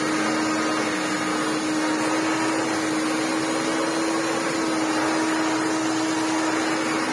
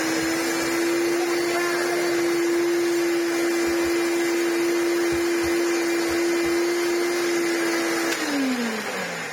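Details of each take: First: Restored Maytag U5288 twin-chamber bagless upright vacuum, 240 V, on short-pile carpet: steady roar with firm mid-pitched whine, slightly noisier under load; worn motor bearings only greased, not replaced. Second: Restored Maytag U5288 bagless upright vacuum (Hoover Turbolite-style, 625 W) after refurbishment, bearings regreased through resealable caps: steady, even mid-pitched fan-motor hum with no rub or rattle, winding down smoothly at switch-off; normal running.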